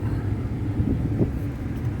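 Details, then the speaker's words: 2010 Ford F-150 blower motor, previously with a horrible vibration: now a steady low fan rumble at full speed, no wobble or rattle; vibration fixed. "yeah works good no vibration so problem solved"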